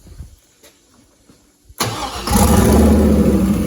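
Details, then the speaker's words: Turbo LS 5.3 V8 swapped into a Dodge Grand Caravan, first fire, possibly lean in spots: silence, quick crank, then catches and settles into loud, steady lumpy idle with howling turbo; clean, healthy first start. "Listen to that thing. That turbo absolutely howls. I love it. A van should not sound like this."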